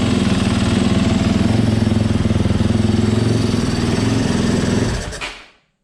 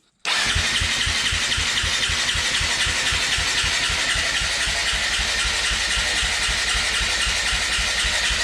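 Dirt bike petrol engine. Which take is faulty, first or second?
second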